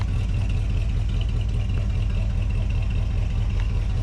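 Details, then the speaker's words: 1980 Ford Bronco after 8 years sitting, new fuel tank, no tuning done, cold outside: steady, fairly quick idle with even low rumble, no knocks or misses; high cold idle, healthy. "it's idling that quick, man. I mean, it's kind of cold out here. Yeah, I mean It's cold and you got to think about the last time we messed with this, it still was getting that shitty gas."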